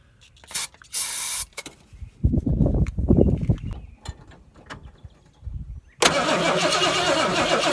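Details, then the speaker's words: Ford Torino GT, 1970 or 1971, 429 V8, sat about 15 years, original carb rebuilt and cleaned, fuel and battery hooked up: several uneven cranking bursts, then catches and settles into a steady, strong idle; normal start and idle. "Runs pretty good. At least I think so. For sitting as long as she did."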